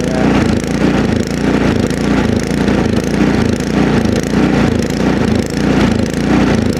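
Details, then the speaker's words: Ariens Deluxe two-stage snowblower with LCT ~254cc engine, started with prime and choke at about 20°F outdoors: engine revs rise and sag in a steady half-second cycle, never settling; surging, suspected lean fuel condition in the carburetor, not confirmed. "so, anyway, when an engine surges like that, typically the problem is, well, let's start with this. It's a fuel problem. It's running lean somehow."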